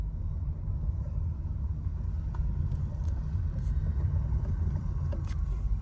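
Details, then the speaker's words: 2018 Nissan Leaf test drive after fixing a front axle click that came under brake then acceleration, especially with e-Pedal. Axle nut torqued to 147.5, no clicking now; even road rumble; normal driving, no axle clicking. "Place marking on the nut and put back the wheel put on the wheel without crimping the [Music] nut the test drive shows no clicking sound anymore"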